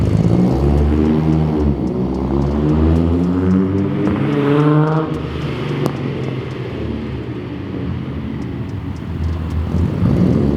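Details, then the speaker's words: Unsteady idle on a Datsun 280Z six-cylinder: steady low hum, but the pitch drifts up and down every few seconds; idle is hunting and wavering, though closer to the target idle than before. "So it's holding closer to the idle than it's supposed to. As you can hear, it sounds kind of okay. It sounds like a normal idle, but it's still wavering a little too much, I think."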